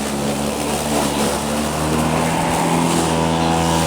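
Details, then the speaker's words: Black & Decker 36 V SPCM1936 cordless mower with a lead-acid battery over 2 years old, showing one bar: low, wavering motor hum without steady speed; the worn battery loses power about halfway through mowing. "just barely running right now but the grass is full charge throughout the entire moment session it's losing power about halfway through"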